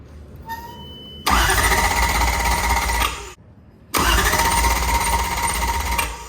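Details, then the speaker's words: Toyota 1UZ V8 swapped into a Nissan S14, first start attempt. The starter whirs steadily for a couple of seconds, stops, then cranks again, and the engine never fires. The ECU is possibly not reading the crank signal, suspected: crank no start. "almost blew up my car cranking it for days what was it not reading the crank it"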